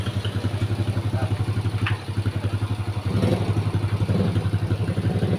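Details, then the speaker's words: Honda Grand motorcycle (same basis as Supra) idling after repair of a rough engine noise: a steady, even single-cylinder beat of about four pulses a second with no knocking or clatter; clean, normal idle as expected. "hasilnya ini sesuai dengan yang diharapkan ya teman-teman ya jadi bersih suaranya"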